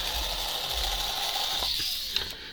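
High, steady electric whine with light gear buzz, even and unbroken before it winds down; small motor and gears running cleanly.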